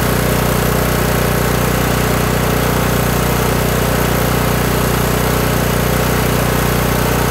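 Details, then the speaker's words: Kohler Courage 18 engine on a Toro lawn tractor idling even and steady with no hunting after the low idle adjustment screw was turned out (non-adjustable jet carburetor); governor linkage rod no longer rocking; normal idle. "so all right so there we go i just continued to turn that screw out until the engine started sounding better"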